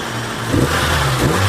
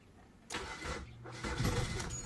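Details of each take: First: Samsung Korean car with hard starting and lack of power, after fuel pump replaced and adjustment: engine picks up cleanly and pulls smoothly with steady even note, no misfire or stumble; normal revving. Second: Samsung Korean car that lacks power and starts hard; long cranking before the engine reluctantly catches into an uneven idle. Adjusting the TPS and distributor did not help, so removing the fuel pump was decided on next. Hard starting.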